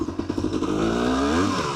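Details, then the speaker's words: 1991 Honda CRM 250 two-stroke after balancer shaft and bearing replacement, road test through all six gears: crisp note pulling cleanly with smoothly climbing pitch, no rattle or knock, strong power; normal running under load. "Yeah, she's running good. She's running good. God, it's got so much power."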